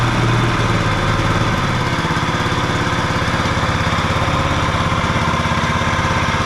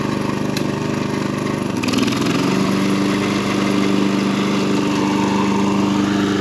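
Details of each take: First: John Deere 14SB mower from a garage sale, fresh 10W-30 and new fuel line and filter, just started on choke on the second pull with no smoke: it runs steady but has a dry, rough whirring from the worn blade brake clutch bearing. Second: John Deere 14SB mower after cleanup, new fuel line and new blade brake clutch bearing: the engine settles into a steady, even drone with a clean tone and no knocks or grinding from the blade clutch, running healthy.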